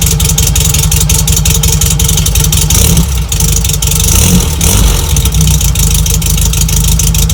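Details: 1963 VW Bug air-cooled flat-four with new stainless steel exhaust from Vintage Speed (Japan), just fitted with disc brakes: loud, even, throaty burble with quick throttle blips, clean steady beat and crisp return to idle; normal running.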